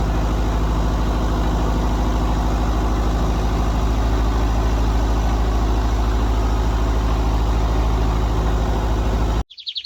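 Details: John Deere 70 skid steer after fitting used rams and new ignition, run outdoors around 40 degrees and windy: steady, even low engine drone with a regular beat and no misses or knocks under way; running healthy.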